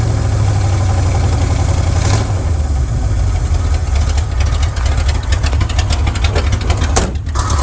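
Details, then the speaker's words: 1979 Chevrolet C10 Custom Deluxe idling after a timing adjustment: low, loping, uneven idle with an occasional stumble, then it died. Timing ruled out; owner next suspects fouled spark plugs; misfire cause not found. "Well, that's not it. See, it was about in time as best it could be. Just died right there. Well, something is not kosher."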